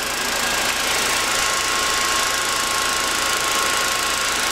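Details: 24 V DC motor rated 1725 rpm, fed 48 V through a DIY IGBT PWM controller at maximum throttle: steady, even high whine with constant pitch; running smoothly at full speed, controller and capacitors stay cool.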